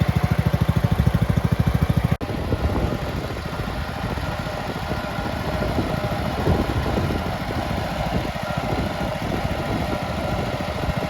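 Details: Red 1962 Bolens Ride-a-matic tractor, small petrol engine, after repairs, driving outside: crisp even beat about 200 pulses a minute, settles to steady run after a click; normal running.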